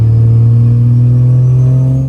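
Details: 4th-gen Cummins diesel pickup, built to 1000+ hp, G56 six-speed manual, under load: deep, steady drone that fades off cleanly with no whine, grind or clunk from gearbox or clutch; normal drivetrain operation.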